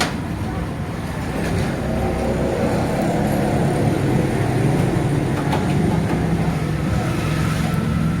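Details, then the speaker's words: Honda CD 70 motorcycle while riding: steady low roar with a faint droning whine under the riding noise, holding with road speed; worn gearbox primary gear causes the noise, fix is replacing the gear. "तो इसकी वजह से ना गाड़ी चलते हुए शोर करती है गाड़ी जो है रूम रूम की आवाज़ ज्यादा पैदा करती है तो लिहाजा ये आवाज़ अच्छी नहीं होती"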